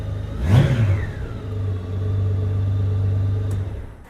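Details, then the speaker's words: 2002 Honda GL1800 Goldwing, 70,335 miles, needs an oil change; exhaust louder from a hole drilled in a muffler; sharp throttle blip climbs cleanly and settles smoothly with no knocks or rattles; healthy engine revving. "It revs up really nice and everything's good on that, on the engine, it sounds like."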